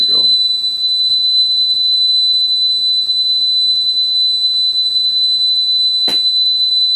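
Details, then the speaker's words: Sony TC-850 reel-to-reel deck, capacitors already replaced, after speed adjustment: clean steady 8 kHz test tone holds pitch without wavering or drift, exactly on speed. "there we go exactly on speed"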